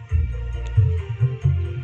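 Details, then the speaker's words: 12-inch active speaker after repair, with the final transistors, 0.47-ohm resistor and driver transistor resoldered: music plays with a deep, full bass thump on each beat and no rattle or buzz; it sounds normal. "Alhamdulillah Ini terdengar suara bassnya cukup enak cukup pulen"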